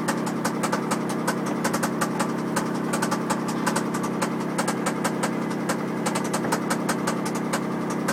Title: Mg zt knocking noise